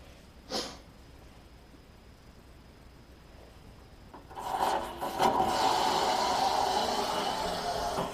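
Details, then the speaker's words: Water heater flush during yearly preventative maintenance: near silence, then a rush of draining water with sharp pops as loose sediment and particles flush from the tank bottom; lots of sediment. "See how it pops a little bit? Yep, there comes another rush of it. So there's a lot of sediment in there."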